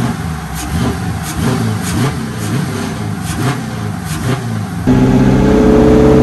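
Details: BMW with LS V8 swap, Holley Terminator X, after new Y-pipe fixing exhaust flow restriction and DIY cold air intake; deep, even burble through repeated blips then smooth held rev, sturdier and slightly deeper, no rattles or popping: healthy exhaust.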